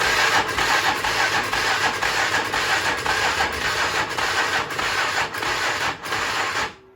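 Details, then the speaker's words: 1996 Polaris Magnum 425 4x4 on choke: choppy, uneven single-cylinder firing, lumpy pulse about twice a second, then dies; airbox shows backfiring, suspected running very rich, varnished Chinese carb with wrong jets, rebuild kit needed. "So we're thinking that it was running really, really rich, but we're not working on this all night, and we're gonna have to order parts for the carburetor, the right jack kit, rebuild kit."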